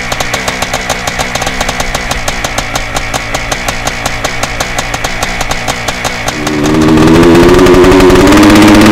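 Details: 1987 Yamaha YZ490 twinshock hybrid, air-cooled 490 two-stroke in a 1987 YZ250 water-cooled frame, built as a weekend race bike: crisp, even popping idle at about four beats a second, then a clean climb into steady revving. Normal two-stroke idle and revving.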